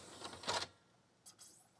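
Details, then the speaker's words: 1987 NEC CD player (CD-510) after clamp repair using small tape pads; a brief soft whir as the disc spins up, a pause, then a light second whir as it reads the table of contents, smooth and normal. "Oh, hey, that works, I think. Is it playing? It is. Well, it didn't start playing, but it read the table of contents."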